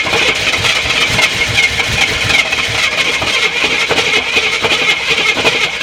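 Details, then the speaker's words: Long-stored Jeep Cherokee Chief V8 after adding about 5 gallons of fuel: carburetor pouring gas and leaking; engine catches but runs ragged and stumbling with no steady idle; flooding, carburetor to be removed and cleaned. "Oh yeah, that carburetor's pouring gas. Well, we know it runs, sort of. I guess I need to pull this carburetor off, pull it apart and clean it and stuff."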